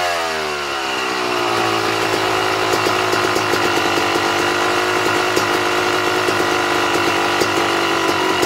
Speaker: all right now did you hear how the bike was trying to die off as i was closing the air screw down the bike should be just prior to dying off like that barely a quarter of a turnout just before the bike tries to die